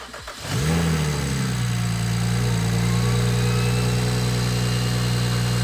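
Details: BMW 135i N54 with a newly fitted Doc Race single turbo kit (6266 turbo), primed and started for the first time: after a short crank it catches, flares and settles into a steady, even, deep idle; starts and runs cleanly.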